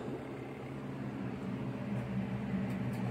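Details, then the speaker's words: SUPER DEAL twin-tub portable washing machine: wash motor running normally, turning left to right with steady low hum and even churning, no knocking or grinding; the separate spin dryer side has stopped working. "the motor will turn on and function properly by going left to right"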